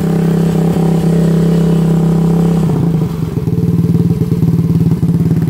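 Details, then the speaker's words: YCF 125 Start pit bike, single cylinder, with the old baffle partly refitted: baffle is unwelded and loose inside the silencer. Loud bark with a clattery rattle riding each exhaust pulse as revs drop; only slightly quieter than no baffle. "Mais ça donne bien en plus, vous voyez, ça se balade dedans. Le truc qui se balade, ça a été fait un peu n'importe comment, c'est dessoudé."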